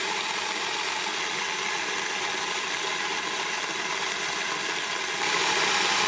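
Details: Moulins d'Alma individual stone mill grinding grain for wholemeal flour after sieving out straw particles: steady even grinding rush with light regular rattle, no knocks or catches; normal grain milling.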